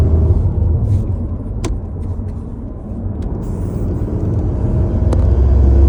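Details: Ford Focus Mk4 under load: a deep droning rumble with an uneven pulsing of about four beats a second over the engine note; source unclear.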